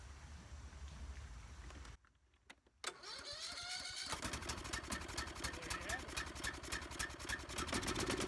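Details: Husqvarna YT 21 HP lawn tractor, will-it-run test with choke on, wet air filter removed: brief quiet, short crank, then engine catches and settles into quick steady beat; normal start and run.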